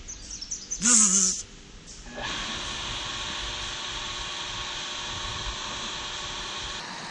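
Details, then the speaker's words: New UtiliTech 1/2 hp cast iron convertible deep well jet pump, model 0036860, just installed and primed, switched on: brief chirp then steady hiss and hum as the diaphragm tank fills; normal running. "I hear the tank filling up. Yep. Let me see that go for once. Well, looks like it's so far so good."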